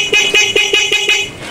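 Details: Motorcycle horn sounding on the switch after a new spring was fitted, key on, in neutral; crisp, short toots in a quick series of about six, each starting and stopping cleanly; normal horn operation.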